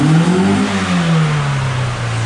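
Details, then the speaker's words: Nissan 240SX (auto-to-manual swap) on first start, on old gas, no coolant yet: revved up and down to redline, smooth rising and falling drone with no knocking underneath; no rod knock, worth further work. "All right, so we know we don't have rod knock, and it's worth exploring further."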